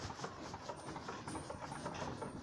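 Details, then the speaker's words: Taiga Varyag 550 snowmobile engine, only 2000 km, at idle; light quick metallic ticking each stroke, first suspected variator or fan; piston slap, pistons rocking at top dead center, excess piston-to-cylinder clearance measured, compression fine. "на самом деле это цилиндр звенят то есть в верхней точке когда перекладывается ведь до кольца"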